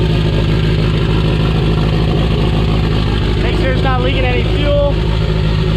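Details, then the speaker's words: Honda Prelude first start after distributor gear flipped and crank pulley gear fitted: engine catches and holds a steady even low idle, no knocks or misses; shut off quickly since no oil pressure seen. "yeah you did good the fire does sound good i just shut it off because i didn't see oil pressure"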